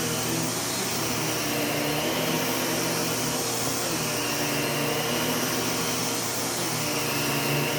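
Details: U1 vacuum switched on with its separate power and brush roll switches: steady high motor whoosh with brush roll spinning evenly, no rattles or pitch wander; normal running.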